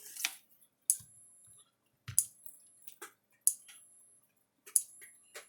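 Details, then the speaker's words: Gallagher fence charger with S17 circuit board on about 6.5 V bench supply: loud sharp clicks roughly every 1.3 seconds with thin high ring, spark jumping from terminals, no output on tester; burned transformer coil causing arcing. "there he goes clicking and flashing little spark jumping from the terminals"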